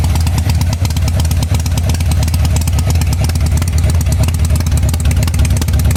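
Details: 1985 Harley-Davidson Sportster at idle: loud deep V-twin beat that keeps stumbling and missing with no steady rhythm; rear cylinder misfiring.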